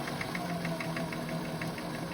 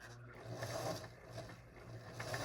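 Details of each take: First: Singer 533 sewing machine after cleaning with grime soap: quick, even ticking at a steady pace, no harsh knocks or dragging; runs much better, normal running. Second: Singer 533 sewing machine before cleaning and oiling; fast uneven clatter about three knocks a second over the motor hum, knocking near the feed dog from dry, unoiled mechanism.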